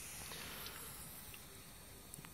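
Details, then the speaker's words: Tire checked with water for a puncture: faint thin hiss near the tire with small bubbling pops as air leaks past an old garage plug repair. "je vais remettre un petit peu d'eau pour bien vous constatiez les bulles d'air on entend aussi la fuite"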